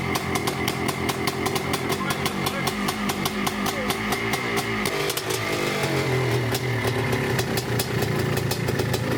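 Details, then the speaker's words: Yamaha IT490 two-stroke after new CDI and ignition timing work, decompressor loose and leaking: uneven, spluttering idle with irregular firing that stumbles and burbles; starts then dies, running rich and fouling the plug, kicking out oil, old fuel suspected. "It starts and goes and then doesn't. Fouling the plug. It's quite rich in the chamber."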